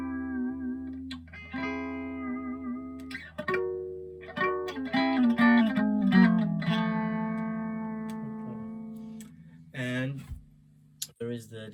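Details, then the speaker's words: Fender Frontman FM 212R guitar amp, received faulty with no sound, after servicing: clean guitar notes ring clearly and sustain, no crackle, hum or cutting out; reverb spring tank still not working. Normal clean channel. "so the reverb so far it doesn't work but the amp does which is already something and you can hear the clean channel here"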